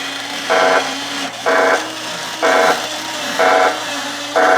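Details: Original obsolete R.A.D. robot revived on a temporary taped battery pack, running its system check (arms closing, arms opening): short even whirring motor bursts about once a second over a low steady hum; arm motors working normally.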